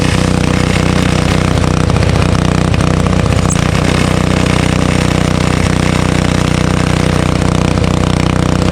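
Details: Honda HS520 single-stage 5 hp snowblower, started on choke after an auger pulley belt replacement. The small single-cylinder engine chugs at a fast, regular beat with steady loudness, starting and running evenly after the repair.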